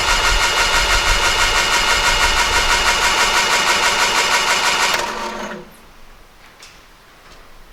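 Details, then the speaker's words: 1968 Triumph Herald 13/60, off the road for a while, cranking with the spark plugs out to check turnover and oil pressure. Steady rapid churning, then it stops; the starter is sticky but turns the engine over. "sticky starter motor but otherwise not bad"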